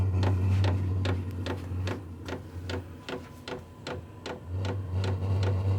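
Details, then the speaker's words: Vevor 8 kW diesel heater starting on its recommended 12 V power supply after earlier voltage problems: steady fast ticking about 2.5 per second from the fuel pump over a low fan hum as ignition appears to happen; normal start-up. "Oh, there's the fuel pump. And I hear something, sounds like some ignition happening."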